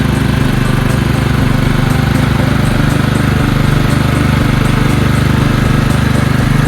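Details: Engine on belt-drive hauler after fixing carburetor flooding from a non-seating needle (gas out the muffler): steady, even drone at full throttle, no misses, surging or popping; running clean, no fuel leaks.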